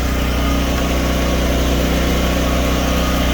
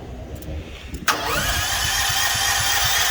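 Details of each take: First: Home-backup generator running on propane with its circuit breaker off and no load connected. A steady low drone with an even beat, no hunting, surging or knocking: a normal unloaded idle. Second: Propane-powered home-backup generator with push-button auto-choke start and fuel valve on, but the propane tank valve is still closed. The starter whirs with steady compression chugs and the engine never fires: crank, no start.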